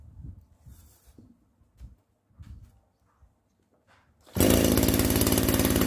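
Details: Makita RBC411 two-stroke brush cutter, which had been noisy near the clutch housing before it started shaking violently: quiet at first, then a harsh buzzing run with a fast shudder, caused by bent blade tips.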